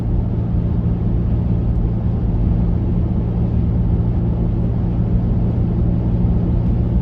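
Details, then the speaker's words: Mazda Tribute/Ford Escape SUV in traffic with no muffler: heavy steady low buzzing exhaust drone, driving below the speed limit. "I know you can see this vehicle but can you hear it there is no Muffler"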